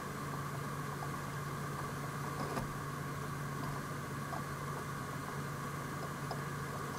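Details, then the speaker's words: Home 100TB server after replacing stock fans and heatsink with PWM Noctua fans, BIOS standard/normal profile: steady even hum with faint whir, no rattles or surging; quiet, normal. "the only thing I did was just set the fans to D standard or normal profile and it's so quiet now this is first boot of course listen to that it's just whisper quiet"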